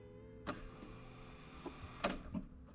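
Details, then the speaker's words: Nissan Gloria Y32 with key turned to on and the fuel pump not priming: a small electric motor hums steadily with a few clicks and beeping. It sounds like a little air pump in the braking system, tied to a suspected e-brake issue. Pump whir at key-on, cause unclear. "Something going on with the braking system. It sounds like a little air pump."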